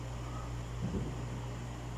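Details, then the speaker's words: Dowell electric fan after adding a washer to replace the worn thrust washer, reassembled with blade and cover: low, steady, even hum, no rattle or scraping; running smoothly and quietly. "Garalgal, wala na. So tingnan nyo guys. Ganda ng ikot niya guys."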